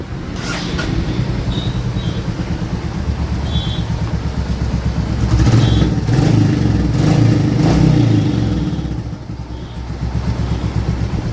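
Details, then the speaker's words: Royal Enfield Classic 350 Reborn after repair of an abnormal engine sound. Even single-cylinder thump that rises and falls cleanly with throttle blips, no tapping or rattle. The noise is gone; running normally. "हां भाई आवाज खत्म हो गई गाड़ी में जो आ रही थी आवाज भी खत्म हो गई"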